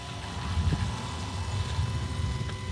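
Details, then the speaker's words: Range Rover L322 4.4 TDV8, about 200,000 miles, engine off with ignition on after a new diesel filter: thin steady fuel pump whine with faint gurgles as air is purged and the filter fills. "yeah there we go there's that telltale sound of uh air being flushed out of the system as the new fuel filter fills up"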